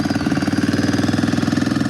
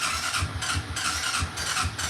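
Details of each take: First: ATV, cold on choke just after first start: quick, even firing pulses at a steady idle with no misses or knocks; running cleanly. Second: ATV with aftermarket carburetor and new choke cable, cold, fuel valve accidentally left off: ragged, irregular sputters that never catch into a steady run as the engine starves and dies.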